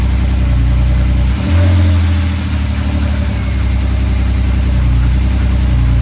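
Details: Drift car with a newly swapped engine, replacing one with a bad head gasket, first start with no coolant in the system after fuel priming: fires, revs once, then a deep steady even idle with no knocks or ticks; sounds healthy.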